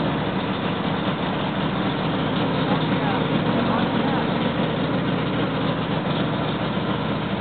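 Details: Freshly rebuilt L88 427 Chevy V8 from a '66 Chevy II, hydraulic roller cam, aluminum heads, first start-up: raised steady idle with slight lope and even firing, timing roughed in near 35°; healthy fresh start.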